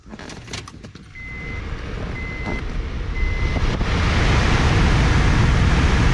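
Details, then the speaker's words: 2005 Honda Pilot blower motor removed and bench powered: three short high chimes, then a deep rough lawnmower-like growl building and holding as the fan spins up; worn blower motor, replaced. "all right so we're gonna replace this still uh still in pretty deep growl"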